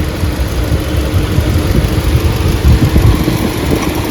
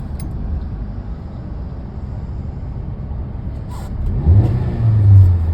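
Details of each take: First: 2024 Hyundai petrol/CNG car, nearly new, running in petrol mode: uneven lumpy idle with rpm fluctuating, engine misfire with warning light, code P030400; only in petrol mode, not CNG. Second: Hyundai petrol/CNG car with misfire code P030400, after fitting four new injectors, running on petrol: even idle and two smooth throttle blips, no stumble or misfire, rpm steady as it should be.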